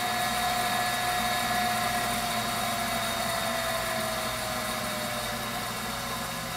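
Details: Viessmann Vitodens 200-W WB2B35 condensing boiler, circa 2011, on a low-loss header with no heat draw: an even burner roar with a faint fan whine and no surging or popping, running normally before its intermittent non-heating fault.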